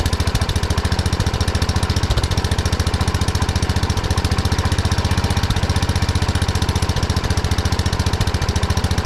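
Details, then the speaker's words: 1979 Kohler K301 12 hp single-cylinder mower engine after electrical and carburetor repair: steady but fast firing pulses well above normal idle; carburetor idle adjustment set too far. "I went a little too far on the adjustment there's a lot of idle I've been trying to adjust it the carburetor a little bit"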